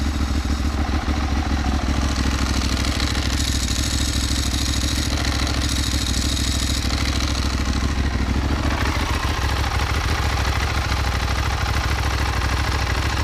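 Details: Ducati 1198S V-twin after AELLA anti-rotation clutch slave cylinder and push rod fitted to cure an oil leak: loud, steady, lumpy idle with even beat and light dry-clutch rattle, no misfire or knock; normal idle.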